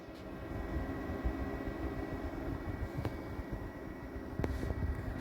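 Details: HP ProLiant Microserver Gen8 running Windows Server 2022 in a rack with routers, switches and Cisco ASA 5508-X, just powered up; steady even rush of air with faint constant hum, no ticking or rubbing, fans running normally.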